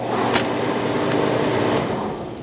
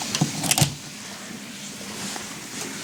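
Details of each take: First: Whitfield pellet stove, start pressed with the plug left in: steady motor hum with a couple of sharp clicks for about two seconds, then sags and fades as it stops immediately; motor cuts out right after start, the recurring fault. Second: Whitfield pellet stove that will only start after the plug is first removed for a while. A few quiet clicks, then at about eight seconds a steady fan hum comes in and holds even: it lights and runs normally.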